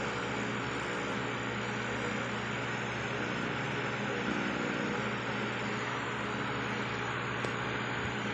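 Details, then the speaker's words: Repaired aquarium air pump with its two rubber parts replaced: steady, even low hum with faint airy hiss, no rattle or buzz; worn rubbers cause strong vibration and noise, now running quietly and normally. "Hindi siya maingay, di ba? Nung pinalitan natin ng rubber dito."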